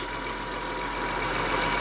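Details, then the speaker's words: 2003 Honda Accord V6 with a replaced engine, at cold idle after startup. A faint, steady high whine sits over the engine note and is expected to grow louder as the fluid heats; a worn power steering pump is blamed and is to be replaced. "But the wine is definitely there. So I'll use it till it becomes unbearable and then have the power steering pump replaced."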